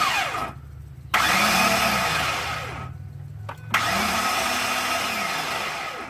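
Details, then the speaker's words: 2005 Ford F-150 5.4 with a no-crank fault: short bursts of harsh metallic whirring and grinding from under the hood with each key attempt, engine not turning over, vibrating. Starter suspected of engaging briefly and then disengaging; cause not confirmed. "Now the engine's vibrating. You know what I think that is? What? The starter's engaging a little bit to try and start it, and then it disengages."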